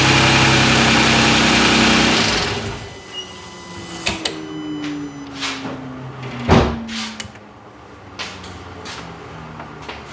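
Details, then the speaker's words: Kia Stinger GTS 3.3t, 66,000 miles, stock intake before HPS cold air intake: short throttle blip to around 2,000 rpm, revs fall back smoothly and evenly, no misses or knocks; normal light revving. "But yeah, we got up to around 2,000 RPM there. Just kind of revved it up a little bit."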